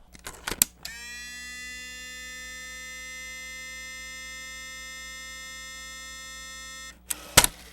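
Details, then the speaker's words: Sony CCD-FX620 Handycam 8mm camcorder with many leaking SMD capacitors, mic moved close: a steady high-pitched electronic buzz for about six seconds after the tape goes in, between loading clicks, while it fails to load; the switch-mode power supply is suspected. "so that tells me that it may have a problem in the switch mode power supply based on the sound that it makes"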